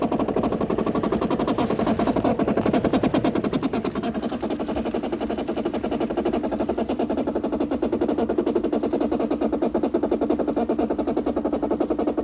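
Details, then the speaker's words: 2008 Bosch dishwasher, about 12 years old, that overflowed and leaked, during fill: fast harsh chatter over a steady mid hum, the inlet water valve visibly shaking; inlet valve chatter, seemingly fixed by replacing the valve. "what in the world is that vibrating i can definitely feel that in the water valve is shaking totally shaking"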